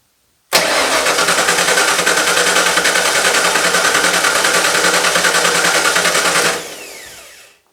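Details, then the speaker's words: 1995 Ford F150 with V8 drivetrain swapped from a 1996, fuel lines dry: starter churns steadily about three turns a second for six seconds without firing; cranks with no fuel pressure, suspected air in lines. "I'm just going to run the bypass on it. And I think that we just have air in the fuel lines."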